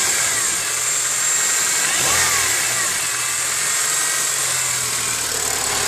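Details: Honda K20A6 petrol engine idling with a loud hissing, whirring high-pitched noise over faint uneven tapping. The strange noise gets quieter when warmed up.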